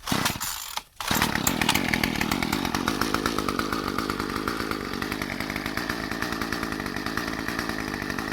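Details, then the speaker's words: Murray M2500 bent-shaft weed trimmer, curbside find, first start without holding the throttle: after a brief pull it catches and settles into a quick, even buzzing idle with no misses while warming up; runs fine. "definitely don't need to hold the [Applause] throttle just going to let it warm up a bit"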